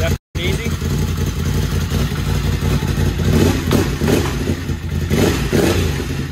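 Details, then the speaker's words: Freshly rebuilt Can-Am 850 Rotax V-twin on its first run, no coolant in it yet: a steady low burble that picks up cleanly with small throttle blips, no knocks or rattles; the engine sounds healthy. "It sounds so good. Everything looks good."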